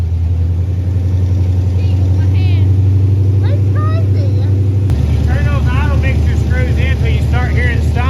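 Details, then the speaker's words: 5.0 302 V8 from a Mustang GT with Comp Cams valve train, Weiand intake, Holley 650 carburetor and Hooker headers, swapped into a 1964 Galaxie wagon: deep, steady burble, even firing, no valve train noise or misses; normal idle. "at's for a flat tap it can but I don't hear any valve train noise or anything that's great I must have got a push rod link correct now oh man that is so good"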